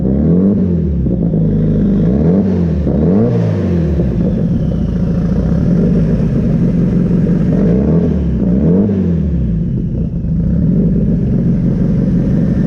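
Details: Off-road car after a new A1000 fuel pump was fitted and E85 refilled, started cold: it fires and is blipped repeatedly, with revs climbing and falling cleanly without stumbling or misses, running normally.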